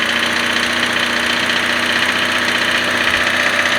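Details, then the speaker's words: $300 Honda Civic hatchback first start, no coolant or transmission fluid: steady idle with fast sharp ticking, earlier thought a knock, from exhaust manifold not fully seated. "Yeah, the exhaust manifold's not on all the way."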